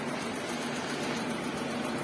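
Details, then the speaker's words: Karimun Kotak car after a radiator flush and fan-motor carbon brush check: the electric radiator fan gives a loud, strong, fairly noisy rush of air with an even whoosh, no rattle or scrape, typical of this car. Normal cooling fan operation. "Lumayan kencang anginnya, suaranya pun agak berisik. Ciri khas dari terapan karimun kotak."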